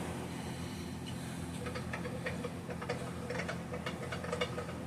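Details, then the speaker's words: Homelite 150 chainsaw turned slowly by hand, giving light, uneven clicks and clatter; the flywheel nut has noticeable side-to-side and in-and-out play. Exact cause unclear. "I don't know if you can hear that. Sounds a little clattery."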